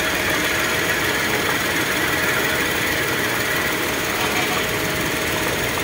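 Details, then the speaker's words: Toyota Wigo with check engine light and cylinder 2 injector circuit code: rough, uneven idle with a ragged stumble. Spark and a new plug were ruled out; cylinder 2 is dead because a cut injector wire stops fuel supply. "guys so positive putol nga yung wire an kung makita niyo putol nga yung isang wire niya kaya siya palyado hindi nagsusuply ng gasolina"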